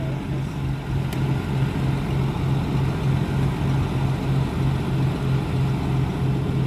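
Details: 1995 Blazer engine started after a clip came off. Low, even rumble with a steady pulse and no knocks, ticks or misfires. It sounds normal, though it didn't like taking gas.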